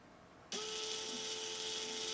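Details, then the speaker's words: Neato robot vacuum wheel drive motor on the bench, compared after a "wheel stuck" error, reading about a hundred like the others: it spins up instantly to a steady, smooth single-pitch whine with no grinding; healthy, no difference found. "yeah about a hundred as well so no difference in any of these three so yeah I wouldn't expect to have any issues at all"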